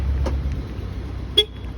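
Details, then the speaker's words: 2017 Jaguar XE after keyless module reprogramming and new keys, battery somewhat low: two short crisp horn chirps about a second apart as car locks with each key; normal lock chirp. "Ahí está nuestro carro cerrando y con la otra llave. Ahí está nuestro carro cerrando."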